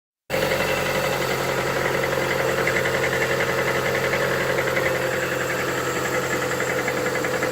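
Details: Lada Vesta 1.8 engine cold idle: fast light ticking knock over steady hum, three or four taps a second; cause unknown.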